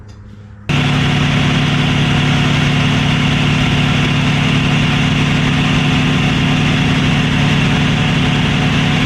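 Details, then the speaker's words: 1965 Mustang inline six, checked with timing light: lumpy slightly uneven idle; ignition timing way off, retarded, harmonic balancer believed not slipping. "The timing is way off, and it's not, I don't believe it's the harmonic balancer slipping,"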